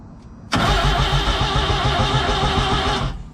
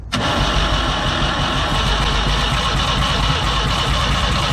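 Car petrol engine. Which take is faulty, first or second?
first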